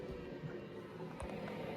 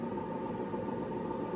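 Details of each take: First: 1984 IBM 5160 XT, about 40 years old: healthy stepper-motor drive, steady whir under rapid even buzzing seek chatter, no scraping or stalls; drive sounds great. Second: 1984 IBM 5160 XT computer at power-on: steady, even whirring rumble with a faint ring from worn bearings in the 120 V power supply fan; system otherwise sounds healthy.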